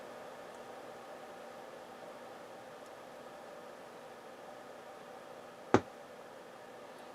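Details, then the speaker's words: Harman Kardon PM645 integrated amplifier on 8-ohm dummy load, no input signal: faint hiss then one sharp pop seconds after switch-on; protection/mute circuit suspected. Finding: delayed power-on pop. "one thing that concerns me is i have a pop when i power the unit on so let's listen for that turn it on and it's a delayed pop which tells me it's in the circuits that protect or mute the amplifier"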